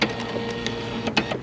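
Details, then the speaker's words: Nissan Versa front door window regulator: the motor spins with a steady, free electric whir and nothing dragging, so the motor is good and the regulator cable is broken. The regulator needs replacing. "and the regulator is bad so we just need to lower it down so we can get access to this right here"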